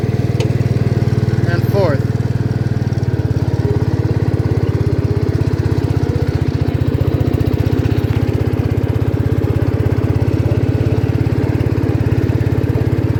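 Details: 1972 John Deere 110 garden tractor revived after years in barn, driving through gears: even low single-cylinder thumping at steady speed, no misses or knocks; runs healthy.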